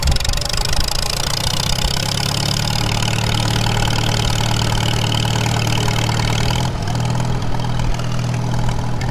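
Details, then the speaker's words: 1939 Farmall H repowered, first test drive after sitting, in fifth gear: steady deep drone, even low growl, no gear whine, clunks or grinding; transmission sounds solid and normal, possibly a little rust on gears. "hey that sounds pretty soft solid yeah I'll take that jump you little booger I would say that sounds about like a normal age guys we might have a little rust on the gears from sitting"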